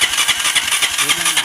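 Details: TMX 125 motorcycle with a history of hard starting: fast even starter cranking at about eight turns a second with no firing; very weak spark at the high-tension wire, later traced to a faulty stator primary winding.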